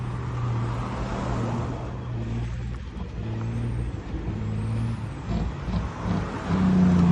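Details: Detroit 12.7 diesel misfiring at idle: heavy, uneven, lumpy low beat, about 220 pulses a minute loping irregularly, with one cylinder missing.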